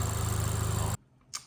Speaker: Gładziutko, przyspiesza, żadnych szumów, żadnych gwizdków, świsków, nic nie słychać. No po prostu nowe auto.